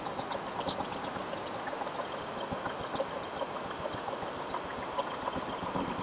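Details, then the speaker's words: Royal Enfield Bullet 350 single-cylinder idling with rocker covers removed: fast, sharp metallic ticking over an even idle as no engine oil reaches the rockers, the main cause of the abnormal tik-tik noise; valvetrain noise from oil starvation. "तो जैसा कि आप देख पा रहे हैं दोस्तों कि हमारे रोकर तक हमारा इंजन ऑयल सप्लाई नहीं हो रहा है, जो इसके एबनॉर्मल साउंड का मेन कारण है।"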